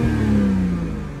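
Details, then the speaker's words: BMW 335i N54 (MSD80) after replacing the faulty number 2 injector behind code 30BA (injectors 1–3 or DME fault): a short clean rev dropping smoothly with no stumble or miss. The engine is healthy. "and I went ahead and swapped it and well runs like a dream"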